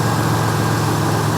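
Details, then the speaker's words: 1992 Buick Century, 3.3 liter (3300) V6, 78,000 miles, new front struts, muffler slightly noisy: low steady even idle, no misses, knocks, ticks or smoke; normal idle. "turn like a kitten man no smoke nothing she runs great"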